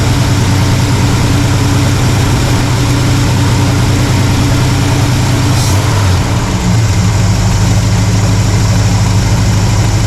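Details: Carbureted V8 (1968 Pontiac LeMans or Chevy C10 being tuned), vacuum slightly low but in the green: steady, low idle with an even beat, no misses, note settling slightly partway through. Normal, healthy idle.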